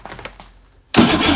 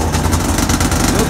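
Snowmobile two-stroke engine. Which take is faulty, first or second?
first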